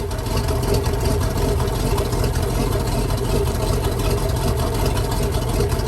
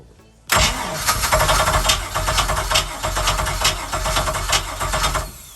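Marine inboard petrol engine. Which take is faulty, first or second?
second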